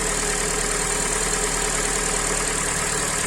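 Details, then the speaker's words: Hyundai i40, 150k mileage, first start after rebuild with sleeved block, new pistons, repaired head and lapped valves: even settled idle with steady hiss, no tapping or knocking; engine healthy. "Итак первый запуск мотор готов собран масло жидкости все залиты работает ровно посторонние звуки"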